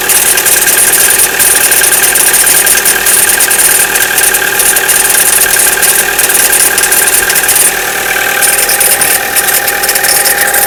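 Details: Chevrolet Cruze, cold start below 0°C: a light, uneven metallic ringing tick at about three per second over a steady cold idle, gone after about a minute; no noise at 0°C and above; cause not confirmed.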